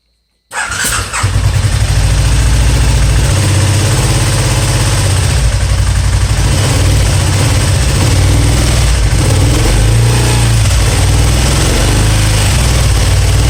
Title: spyder misfiring